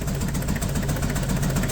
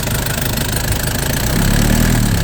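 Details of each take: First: Nissan Big M, BD25 diesel, shaking lumpy idle, barely starts, heavy smoke; injector disconnect test shows cylinders 2 and 3 dead, only 1 and 4 working; misfire. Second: Nissan Big M BD25 diesel after repair, with a new radiator and 8 L coolant, bleeding air from the cooling system during gentle run-in. It picks up smoothly on light blips and drops back to an even idle; healthy.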